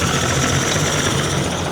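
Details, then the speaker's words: Yamaha 75hp outboard rebuilt and uprated to 90hp, test run after compression test: busy, slightly rough two-stroke buzz with no knocks, rattles or bangs; running healthy. "Around this side, you can listen for any noise, any knocks, rattles, bangs and bumps, but that sounds really happy."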